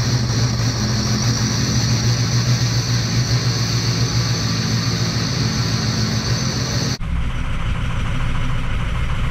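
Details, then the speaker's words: 2006 Ford 6.0L Power Stroke diesel just started after fuel injector install, warming up: steady even clatter settling into smooth cold idle, no misses or knocks; normal diesel idle. "obviously she is a diesel so he's going to have to warm up a little bit got her running"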